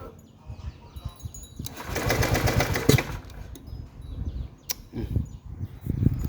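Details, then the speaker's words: Honda PCX150i scooter after long storage, battery charged, new NGK spark plug fitted: starter churns in uneven bursts but the engine never fires; no fault codes found, spark plug likely not the cause. "ก็ยังไม่ติดนะครับเปลี่ยนหัวเทียนก็ยังไม่ติดครับน่าจะไม่เกี่ยวกับหัวเทียนนะครับ"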